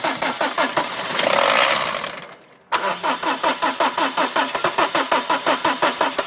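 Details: Peugeot 306 XUD diesel with its timing out; slow rhythmic cranking, a pause, more cranking, then it catches only roughly and unevenly with smoke, hard starting.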